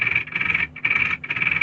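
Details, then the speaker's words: Tamiya Super Champ RC car, hopped-up with a 10.5-turn motor: hand-turned gears give high whirring in three short gritty bursts, sounding too tight despite free play; owner suspects pinion not square, unconfirmed; tight gearbox. "that sounds like I don't know like it's welded together that doesn't sound it sounds it's too tight but it's got free play on here"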